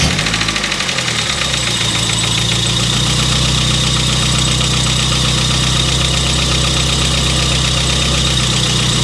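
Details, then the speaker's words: Mazda Miata at idle: a fast, light top-end valve train clatter, about four ticks a second, worse on start-up after sitting a long while and somewhat better after a drive; cause unconfirmed, owner trying Rislone oil treatment. "And that clatter and clack and stuff, I started this thing up yesterday after having it sat for quite a while, and it was a lot worse."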